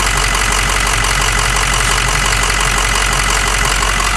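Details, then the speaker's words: Diesel truck with about 50 psi fuel pressure, about 60 psi cranking oil pressure and no EGR cooler: loud, clattery idle with a steady knock about three times a second and some popping from the intake. Rough, worn idle; smoking increasing. "at least i got it to run it's more than what we had before and actually sounds pretty freaking good so a little bit of popping out of the intake"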